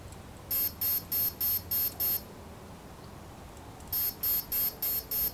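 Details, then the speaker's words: Align T-Rex 500 3G flybarless helicopter BEC speed controller programming, BEC output voltage set to 5.5 V middle position: two runs of seven quick high beeps with a pause, then the final chimes confirming settings. "so once you hear that final set of chimes let's finish the setup"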